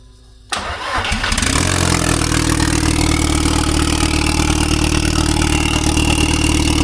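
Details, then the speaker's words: Toyota MR2 turbo engine, first start after work, still cold: it cranks briefly, catches cleanly and settles into a steady, even idle with no knocks or rattles, a healthy cold start. "Well, we did actually start it. I'm not gonna say this is bullshit, the first start, we just get it started. But it's still cold."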